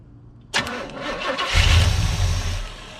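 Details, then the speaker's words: 1972 Chevy C10 crate 350 V8 that had sat for 8+ years, with petrol poured in and plug wires arcing. The starter spins the engine steadily with a loud rumble but it never catches; cranks but no start, the fuel pump is not working. "yeah fuel pump ain't working"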